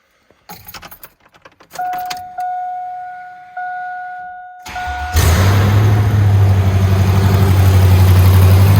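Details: Truck being swapped to a turbo 6.0 with a 4L80E and 3200 stall, four-wheel drive, smogged today; entire exhaust and Y-pipe removed: keys rattle, starter cranks, and the V8 fires into a loud, deep, unmuffled boom on open headers, echoing in an uninsulated shop.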